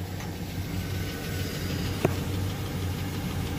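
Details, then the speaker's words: Chevy Silverado 5.3 LS V8 idling steadily with faint quick ticking over low hum, from defective DOD (cylinder-deactivation) lifters before removal. "can hear that ticking sound here so it's from this side"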